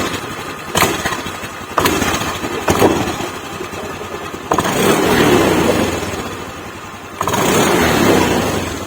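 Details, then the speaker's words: 2020 Honda Beat Deluxe scooter, engine warm, before ECU remap: fires in short bursts, revs sag and die with no steady idle, then recranked; idle won't hold, stalls on the road, worse in the morning. "tapi ini berebet Langsa mengecil terus tuh cuman kalau ini kalau sudah gak ada langsam gini nih dia parah nih menurun"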